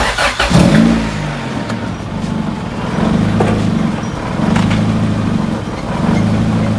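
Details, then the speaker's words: Car just after fitting an eBay throttle body (old one suspected since idle couldn't be adjusted), opened quite a bit: slow, lumpy low idle with loud whistling, risks stalling. "Now she appears to be idling very low. I did open it quite a bit, and you can hear how loud it's whistling now."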